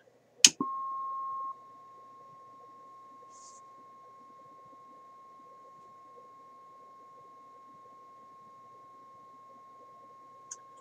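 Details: 1968 Ford Mustang Philco AM/FM radio D3AA on the bench, tested for fading with a signal-generator tone; click at switch-on, then a steady clean tone, output easing from 0.55 to 0.45 V; normal output.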